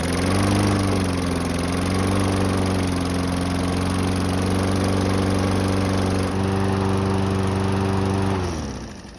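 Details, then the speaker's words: Toro mower, a couple of years old, that wouldn't start: after priming the carburettor with fuel twice, it catches and holds a steady buzzing run for about eight seconds, then winds down; fuel delivery marginal, likely a partly clogged jet. "So as you just saw, it only took priming it with fuel twice to get it running again."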